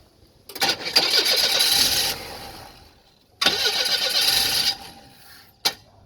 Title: Hard starting